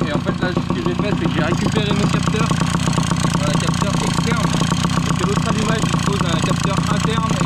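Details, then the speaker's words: Tomos two-stroke moped running after a replacement coil was fitted with its magneto flywheel; it had earlier backfired through the exhaust on kick-start, possibly from different timing. Now a steady fast idle, firing evenly with no popping. Normal running. "Donc là avec mon volant magnétique, la bobine que j'ai trouvée, et ben ça va nickel."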